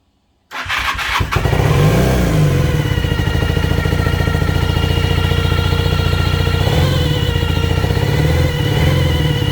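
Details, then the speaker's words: Cold 1980 Honda CB400N starting and idling with a steady, high, horrific squeal from the tachometer despite a new tach cable. The planned fix is spraying lithium grease into the tach. "so yeah you can clearly tell that it's 100 coming from that taco"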